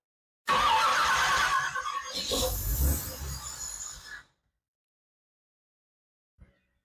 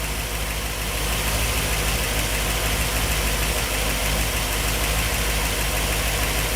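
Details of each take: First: 1964 Ford Thunderbird FE 390 rebuilt with Edelbrock fuel injection, first start in over 40 years: cranks, catches briefly, runs a few rough seconds then dies, restarts and stumbles — hard start from lean fuel mixture. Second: 1964 Ford Thunderbird FE 390, Edelbrock Pro Flow EFI, after fuel mapping changed to fix lean starving, still learning: steady even V8 idle, smooth low rumble, no misses or knocks — normal idle.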